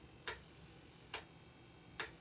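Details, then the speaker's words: Dynam Gloster Meteor V2 twin 70mm EDF 6S jet: the retracts give three sharp, evenly spaced clicks but never cycle the gear. It works once only after unplugging and replugging; owner suspects a sequencer issue, unconfirmed. "yeah i can hear it trying the gear not work i have to in order to get that gear to work i gotta unplug the model plug it back in it'll work one time and then it won't work again"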